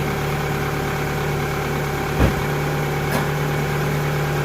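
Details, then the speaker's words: 2000 Toyota Camry after alternator replacement and wiring harness repair: steady, even idle with a smooth low hum and no knocks, ticks or belt squeal. It reads 14.7 V DC, so the alternator is charging properly and the system is normal. "Alright, now with the engine running, we can put it to DC volts. And we got 14.7, so that means the alternator's working good."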